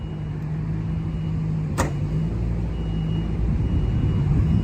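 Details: 1959 MGA 1600 Roadster, 1600cc inline four, 4-speed, body-off restored 2010: steady low rumble with even beat, no knocks or misses, holding constant speed; runs smooth and healthy.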